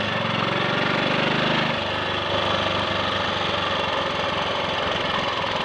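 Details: Triumph Sports Cub single-cylinder, after fuel tank cleaned of rust and projected-electrode plug fitted: clean, unbroken exhaust beat as revs change, no misfire or cutting out; slight hesitation at half to three-quarter throttle, suspected crud on carb needle.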